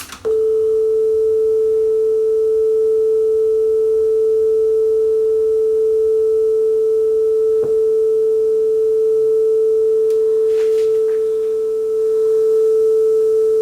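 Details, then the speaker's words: Yamaha KX300U belt-drive cassette deck after speed adjustment: steady, clean A-440 test tone with no audible drift or wavering beyond slight wow and flutter; tape speed judged on target. "that is, I think, as close as this deck is going to get. I'm going to call that on speed."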